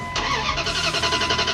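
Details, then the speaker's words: 94–01 Dodge Ram 1500 with 5.2/5.9 Magnum engine that died while cruising on the highway: starter spins the engine at an even, steady rhythm with no catch or firing; no fuel or no spark suspected. "Just a steady crank over like she's either getting no fuel or no spark."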